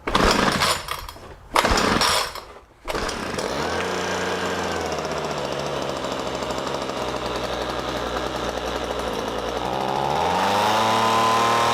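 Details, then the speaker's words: Homelite MightyLite 26b (UT08520) two-stroke leaf blower just after carburetor rebuild: catches after a couple of pulls, rough uneven note that sags before climbing, bogging down; carb adjustment screws to be set next, cause unconfirmed. "well that was successful started right up after that carburetor repair now the one thing I don't know if anybody can hear it but it sounded like it was bogging down"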